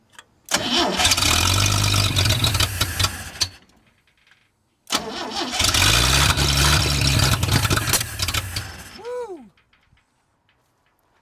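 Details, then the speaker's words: 1937 Chevy 250 six-cylinder, first start after new ignition points restored spark, started cold: catches and runs unevenly about three seconds, dies, restarts lumpy, then stalls. Rough running; owner thinks timing is slightly off. "yeah I think it's a little bit out of time it runs though"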